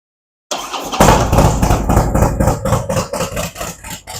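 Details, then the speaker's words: Harley-Davidson with Thundermax tuner, S&S MR 103 cams, Bassani 2-1-2 headers and SVT Boneshakers mufflers, first start during initial idle tune with front and rear AFR monitored: fires at once into an even lumpy V-twin lope, no knocks; normal idle. "while the bike does its initial idle tune, we're going to watch the gauges here to make sure that the front and rear AFRs wind up in the center area as they should."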